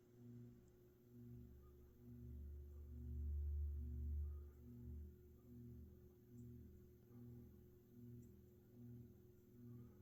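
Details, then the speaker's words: Mid-to-late 1980s Saff Enterprise Flush Polo 52-inch three-speed ceiling fan on low, one blade and blade irons knocked out of alignment: steady low hum with a soft pulsing wobble about twice a second, faint audible bearing noise. "Burns do make noise on this not really too obscenely loud but you can hear them the motor hum is a lot more noticeable than the bearings though"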